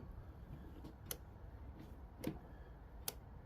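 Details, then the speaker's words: Craftsman T1600 lawn tractor fuel system check, suspected bad fuel: fuel shutoff solenoid clicking on and off normally, three crisp clicks over a quiet hum, so it's open and working. "did you hear that on off yeah it sounds like it's working so it's open"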